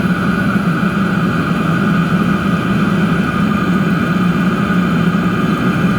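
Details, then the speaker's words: DIY diesel heater with homemade controller, about 8 minutes running, heat exchanger casing at about 190 degrees and stabilised: even steady roar with low hum, no surging or popping; normal steady combustion. "Stabilised now. I honestly don't think it's going to get a lot hotter than that."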